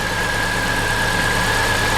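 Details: Vauxhall Corsa VXR petrol idling with an uneven, lumpy beat; misfire from low compression on cylinder 4, attributed to piston failure with breakage between ring grooves.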